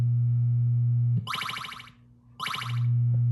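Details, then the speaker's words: 1978 Williams Phoenix pinball, recapped sound board: over a steady low hum, game sounds burst in, cut out about a second, then return; dirty volume potentiometer contacts, board itself fine. "so obviously the soundboard is completely fine it's just the connections inside this pot so I'm going to have to take it apart again and really clean that pot really clean up the connections to make it reliable because obviously it is very dirty at this point"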